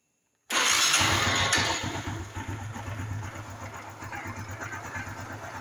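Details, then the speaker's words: Honda Biz 110i that won't hold idle when cold, cold start: engine catches, then a loud rough clatter over an uneven idle, described as like a connecting rod knocking, at idle and riding. "Olha só o barulho dela, pessoal. O barulho que dá no motor. Vocês perceberam, pessoal? Que ela tá com um barulho muito forte no motor aí, ó. Barulho muito perigoso, galera."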